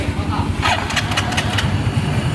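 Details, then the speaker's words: Yamaha Mio Soul GT after repair of a slipping starter: starter whirs and engages firmly, engine picks up to a steady even idle; fault was a leaking seal and a damaged starter one-way bearing in the CVT side, oil replaced. "sini staternya sudah normal kembali sudah tidak lolos lagi"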